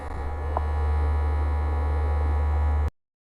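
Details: Zyxel NAS542 four-drive RAID 5 NAS: steady low droning hum caused by the drive cages vibrating, not enclosure resonance.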